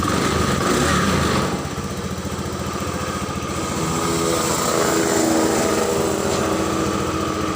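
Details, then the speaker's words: 2014 Honda Beat injection scooter that died on the road, runs with no battery fitted after the broken charging-coil (spul) wire was rejoined: quick, even single-cylinder putter that settles and holds steady; charging system restored. "Coba kita khas seperti ini tanpa aki langsung nyalanya enak"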